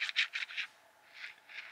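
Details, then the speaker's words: Mitsubishi L200 front propshaft universal joint, brand new Toyo-branded unit, seal removed, turned by hand: dry gritty rasps then softer scrapes; needle bearings rough, lateral play, needle ends clipped not ground. Defective new joint; original was Koyo. "that's not a good sound for a new bearing and there is lateral play there uh the needles aren't even ground on the ends they're just kind of clipped off"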